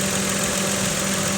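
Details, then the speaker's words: 2017 Mitsubishi Mirage three-cylinder, stock except K&N panel filter, at idle: even idle with light, fast injector clicking on top, judged nothing to worry about; normal idle, though the belt looks worn. "Or yeah, I mean, I hear some injector clicking, that's about it. Okay, so nothing to worry about."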